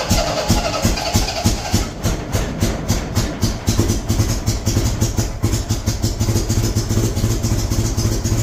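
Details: 1975 MGB running off a five-gallon gas can: uneven, lumpy idle with irregular thumps and stumbling beat; owner suspects wrong firing order or distributor cap on backwards; misfire.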